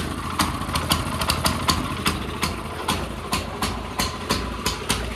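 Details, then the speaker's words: CT200U minibike with the Stage 1 kit and cone filter, after its smoky, rough start settled: a steady, even popping idle at about two and a half pulses a second. Now running right, a normal idle. "That sounds significantly better. Let it sit, kind of get its mind together."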